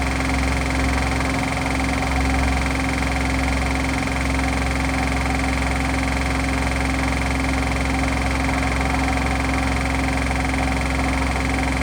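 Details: Hotpoint washing machine on its final spin gives a steady, heavy rumble and droning hum from worn drum bearings.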